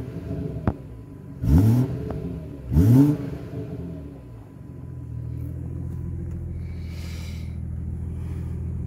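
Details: BMW F30 340i exhaust after fixing the exhaust valve rattle with a new clip: two sharp revs that rise and fall cleanly, then a steady deep idle rumble with no rattle or buzz; normal, healthy exhaust sound.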